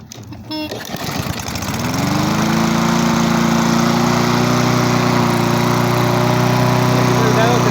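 Pull start catches within a second, then settles into a smooth, even steady run with no misses or surging; mower runs healthy.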